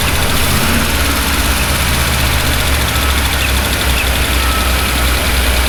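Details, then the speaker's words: Chevy pushrod truck during a valve lash adjustment: loud idle with busy, uneven clatter over the rumble; valvetrain noise, exact source not yet identified. "I don't know what back we're hearing there but there's definitely something"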